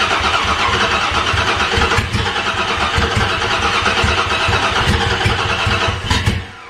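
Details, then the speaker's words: Dodge Dakota after tune-up with new plugs, plug wires, distributor cap and rotor: cranks with rough, uneven pops that never catch; plug wires installed in wrong firing order. "well it wants to fire but it's not doing it which is odd but the when it's trying to fire is a little bit strange"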